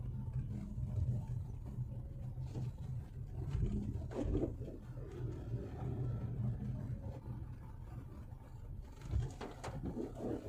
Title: CRV 1 5T 2WD UR Sway Bar Rubber Bush Weird Noise